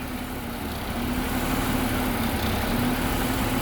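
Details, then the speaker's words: Ford Territory petrol with drive-by-wire throttle at idle after battery replacement: uneven wavering drone with occasional faint stumble, slight misfire; owner suspects the computer must relearn after battery change, not confirmed. "always remember guys that when you change a battery, you have to let them run and reset or buy the exact same battery that come out of it or you'll have this problem. See, it's slightly missing"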